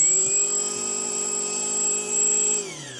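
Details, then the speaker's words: FPV brushless motor on an ESC, powered through a relay battery switch and running in 4S, then 2S: a smooth high whine holds an even pitch, then winds down as power cuts. Normal motor run. "at the moment I've got my switcher on a 4s system I can hear that IPM I change it over to a now I've got to s system"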